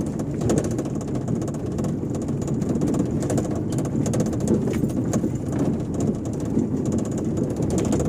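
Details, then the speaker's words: Fiat Uno 2011/12 driving on asphalt: continuous buzzy rattle over road rumble that sounds like loose glass or the passenger door banging, but is actually a loose cable underneath. "vendo é esse barulho aí que fica parece que tem um vidro solto parece que a porta está batendo mas não é"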